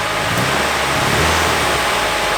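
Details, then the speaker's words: Nissan 240SX S14 Kouki SR20DET running badly: uneven stumbling note with irregular dips as it revs, one cylinder dropping out; misfire. "Oh shit. Alright. So it's running like ass."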